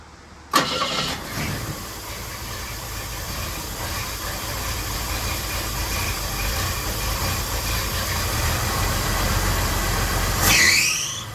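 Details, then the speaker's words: Jeep CJ7 carburetor after fixing an accelerator pump that was hanging up, lubricating a couple of things and reseating the throttle assembly. It cranks, catches quickly and settles into a steady idle without racing, though the carb still leaks fuel and needs float adjustment. "Lubricated a couple things and just made sure it was all sitting correctly, which it was not. And now it seems much happier."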